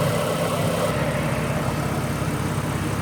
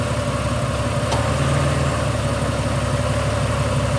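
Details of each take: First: Ford BA Falcon inline-six after replacing the two front ignition coils, A/C on adding momentary load: even, steady smooth low rumble with no misses, knocks or ticks; idle remarkably smoother, misfire fixed. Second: Ford BA Falcon inline-six idling with a misfire from a failing ignition coil, one or two coils suspected bad: steady idle broken by uneven stumbles as a cylinder drops out.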